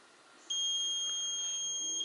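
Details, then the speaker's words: Lawn tractor operator presence relay bench test, multimeter across top and bottom terminals with switch open: one clean steady beep about 1.5 s showing continuity; relay good. "with the switch in the open position like this, we should have continuity between this top terminal and the bottom terminal."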